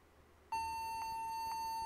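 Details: Toshiba laptop that won't boot into Windows and restarts back to the logo; single steady high beep pulsing about twice a second during startup, cause unclear, possibly the keyboard or a stuck key.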